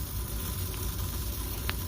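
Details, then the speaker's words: Refrigeration liquid line solenoid valve with its coil removed and king valve open: a soft, steady hiss as refrigerant keeps feeding through, so it isn't closing at all. The flow arrow shows it was installed backwards. "but it's actually making noise as it's feeding through there yeah so it's not closing down at all that's not cool"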